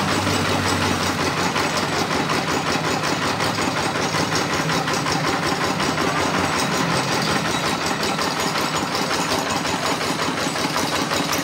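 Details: RD 85 S-series single-cylinder diesel on a tractor, after an internal rebuild for lost power: ticks over at a steady plod with light clatter on each beat, nothing harsh; runs fine after the repair.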